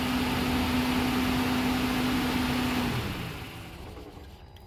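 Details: Nissan Caravan running on petrol with the gas switch open, after throttle body and cam sensor work for stalling, no pickup and hard starting: steady even hum, no misses or stumbles, settling quieter toward the end; running properly.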